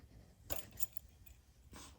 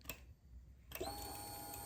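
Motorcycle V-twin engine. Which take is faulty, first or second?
first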